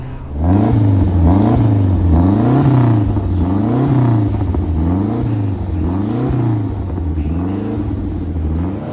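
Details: Freshly rebuilt, sympathetically modified Lancia Delta HF Integrale Evo I on track at Pembrey Circuit: engine pulls hard, pitch climbing then dropping sharply at each gear change, clean and strong throughout; normal acceleration under load.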